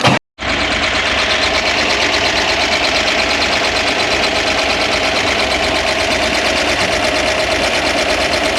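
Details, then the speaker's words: 1965 Corvair 500 engine just reinstalled after sitting almost 30 years, carburetors not synchronized, throttle linkage bushings on order: loud uneven clatter over fast idle with hissy chuffing; rough running, owner notes heavy blow-by, hopes it clears. "got an awful lot of blow by but remember this thing sat for I don't know 30 years almost"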